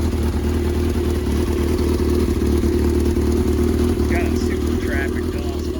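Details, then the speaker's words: 1982 Yamaha XJ650 four-cylinder motorcycle, first start after sitting for months with cleaned carbs: steady drone with uneven puffing chuff, a fairly bad exhaust leak; intake valves also puffing mixture back out of the carbs, may need valve lash adjustment. "Little bit of an up exhaust leak in there. Pretty bad."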